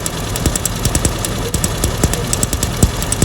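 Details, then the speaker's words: Lumpy idle broken by irregular sharp snaps and stumbles, about two a second: misfire from HT leads in poor condition with sparks tracking, plus an oily coil; parts need changing. "That's due to using HP litre in poor condition, and we've also got oily coil. So we need to get into this one and obviously change a few parts."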